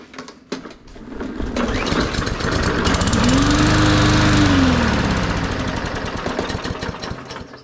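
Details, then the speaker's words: Cheapest Walmart push mower that sat about 1.5 years with odd fuel, primed and started; it fires, climbs to a fast popping run for a few seconds, then slows and dies with lots of blue smoke; stall cause unknown. "Well, it does something, but it also died and there was a lot of blue smoke. I don't know why it died."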